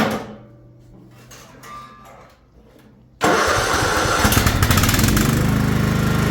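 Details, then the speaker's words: Craftsman LT1000 riding mower after restoration and steering arm install, deck back on: quiet, then the engine catches at once and settles into a steady, even chug with no misses; normal start and run before steering test. "Let's just back it on up, or turn it on, back it up, use it, turn the blades on, and steer."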